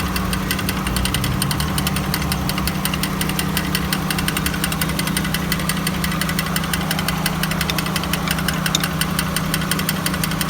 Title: 1999 honda accord grinding sound